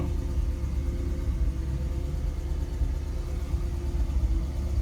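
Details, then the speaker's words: 1959 Ford Fairlane 500 Galaxie Skyliner retractable hardtop, recorded from inside the cabin: it started right up, and a warm V8 idles with a steady, even low rumble and no knocks or misses; it runs really well. "but runs really well started right up I'll pop the hood here and show you under the hood"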